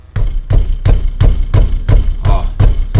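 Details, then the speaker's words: Peugeot 307 front end, microphone held close while the wheel is struck: sharp hollow clunks about three a second, also banging on cobblestone roads; worn, loose front brake caliper guide pins. "É esse barulho aqui, ó, que quando você vai no calçamento, cara, mas isso bate com vontade, tá? E parece que a frente tá desmanchando, porque bate nesse lado e bate naquele lado e lá, tá?"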